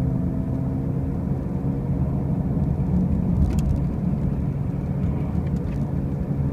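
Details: 2005 Pontiac Grand Prix with brand new wheel bearings and new tires: a heavy low droning rumble inside the car at steady road speed, a constant hum rather than knocks; the drone's source is undetermined.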